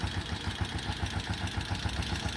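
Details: TMX Alpha 125 single-cylinder motorcycle at idle: quick, regular light ticking, about seven or eight per second, over the steady idle; top-end tick, cause unknown, owner asking how to fix it.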